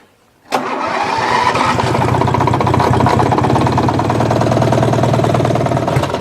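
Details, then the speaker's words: Murray riding mower engine, ran low on oil and connecting rod came loose on crank; rod retightened but knock remains: starts instantly, fast idle with rough uneven knock under firing beat; rod knock. "connecting rod came loose on the crank when it went low on oil so when I cranked it back up you got the so I took it apart and I tightened it and it still had that's that's what that knock is"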